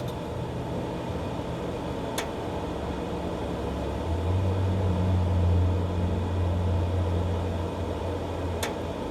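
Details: Green Mountain Grill Jim Bowie Choice after cleaning out and reassembling a non-working auger: low droning auger motor hum swells over steady fan hiss, running unusually loud; cause unknown.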